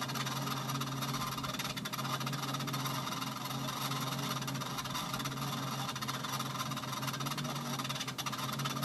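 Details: Treadmill unused for a while, belt suddenly very tight and crooked: steady low motor hum under constant harsh hiss and scraping rush while running; cause not confirmed.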